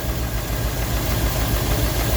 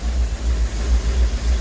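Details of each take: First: Rolls-Royce Silver Shadow II, sat about 10 years, with twin SU carbs rebuilt and a new fuel pump, chasing a high idle. Pushing the linkage slows a low, lumpy idle of about three pulses a second. Owner suspects a throttle butterfly sticking slightly open: rough idle. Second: Rolls-Royce Silver Shadow 2 V8, sat neglected over 10 years, after twin SU carburettor rebuild and new fuel pump while chasing high idle: deep even throb, now idling cleanly with no misses.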